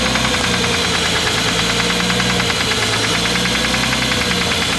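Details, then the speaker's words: Straight-six RB engine, coils not yet bolted down: rough, uneven idle with random sharp click-clack knocks breaking the firing beat; misfire of unconfirmed cause; injector seals found leaking afterward. "You heard those random knocks. Cracking, Those like- random click clacks, like."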